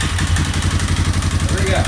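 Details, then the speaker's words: 2003 Yamaha Wolverine ATV single-cylinder, after the too-high idle and throttle setting was turned down: quick, even thumping that picks up cleanly with throttle and doesn't stumble; revving normally and healthy. "And I can actually rev it now. So, Sounds like a warrior. I mean, they're not quiet, so I think we are good."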